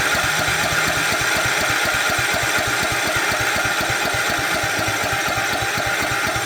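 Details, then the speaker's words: 2006 Cub Cadet LT1045 riding mower (about 20 years old), small single-cylinder engine runs fast and even with a hard raspy exhaust; idle stuck too high. Governor out of adjustment suspected, not confirmed; high idle. "They just stopped uh using it because the idle went high and they couldn't figure it out."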